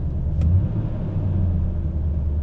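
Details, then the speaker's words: 2011 Nissan Titan Pro4X 5.6 V8, just after spark plug replacement with coil packs reinstalled. Deep, steady rumble at idle with no stumbles, no error messages and no misfires: normal smooth idle. "all right sounds smooth no error messages no misfires"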